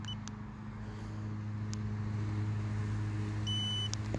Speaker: and you have to do a long press to turn the scooter off it'll turn the scooter off and it does make a beep if you guys can hear when it turns on